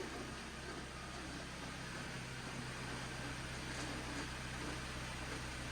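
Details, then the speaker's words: 2011 Jeep Patriot, T355 five-speed manual, idling with the clutch out: a rough, uneven rattle at about four a second that stops with the clutch pressed; owner suspects input and countershaft bearings, unconfirmed. "so that's what I'm after that's what I'm hearing it just almost sounds like something's broken in there"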